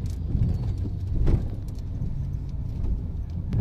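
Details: Honda Jazz driven slowly over small gravel after repairs for a front driver-side chirping rattle over small bumps: only a low, even road rumble with no metallic rattle or chatter. The front brakes and suspension are now quiet.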